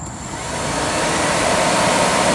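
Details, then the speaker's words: Both radiator cooling fans (small slower fan and bigger fan) switched on together via an OBDII app's bi-directional active-test page: loud steady rushing roar rising slightly as they spin up, no ticking or grinding; fans running normally. "right that makes a racket so and then i'll turn just two on which will shut the smaller one off right so now this will be a third right middle of sound"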